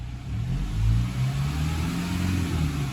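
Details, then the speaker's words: 2015 Toyota 1GD diesel, 395,000 km, idling after about 5 minutes driving, not fully warmed up: low, smooth, even, quiet rumble with no knocking or rattle; normal idle. "Have a listen to the engine. How quiet and smooth is it?"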